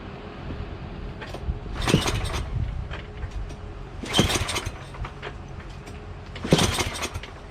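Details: Yardman 8HP 26-inch dual-stage snowblower after repair (reversed auger blades refitted), test start at full throttle, choked and primed: three pull-start bursts a couple of seconds apart, each dying without firing; cranks but won't start, though it has gas.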